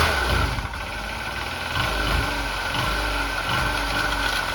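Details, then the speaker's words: Honda Elite 80 (CH80) two-stroke scooter, bought non-running, just restarted after carb cleaning, jammed throttle slide freed and fresh gas, warming up: fast uneven patter with crackle, responds to throttle but rough; owner suspects oil pump not working, needs tuning. "I was hearing that kind of crackling noise earlier. Maybe the oil pump doesn't work."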